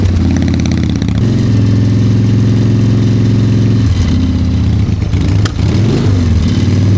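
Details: Harley-Davidson Fat Boy Evo 1340 V-twin, started after winter storage with a cleaned carburetor and jumper cables: deep, loping uneven potato-potato beat at a steady low idle with a slight throttle blip; idling normally.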